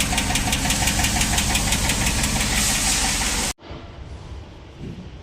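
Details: Jeep Wrangler 392 V8 with a knocking noise from the engine: sharp, regular ticking at about three per second over the running V8 until it cuts out. Collapsed hydraulic valve lifter, found with both cylinder heads removed.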